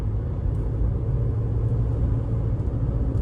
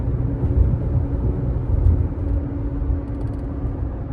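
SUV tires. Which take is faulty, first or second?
second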